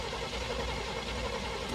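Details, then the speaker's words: Square-body Chevy C-10 truck bought from a salvage yard: starter spins the engine in an even rhythm but it never fires, later traced to moisture inside the distributor; crank-no-start. "Okay. Still nothing. Still nothing."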